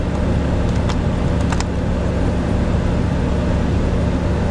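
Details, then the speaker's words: Bus ventilation blower just upgraded from a 95 CFM to a 500 CFM fresh-air unit in the inverter bay, test run: steady even airy whoosh with low constant hum, no rubbing or rattling; normal operation. "there we go got the blinking thing and our fan is running let's turn it up all the way all right seems to work"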